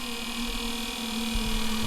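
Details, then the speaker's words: Marco bronze gear pump supplying a boat's domestic water, during bleeding after fitting: steady hum with soft irregular throbs and wavering pitch as air slugs pass; air in the line traced to a stuck one-way valve in the manifold. "If you saw the episode where I fitted this, you'll know it took a bit of tracking down, but it ended up being my manifold, which had a stuck one-way valve."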